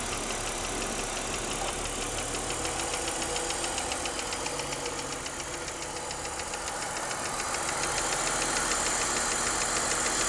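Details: BMW 323i running with a fast, even top-end ticking/pinging about three to four per second, louder since the head was rebuilt and machined with a valve job; valvetrain tick suspected, top-end ticking.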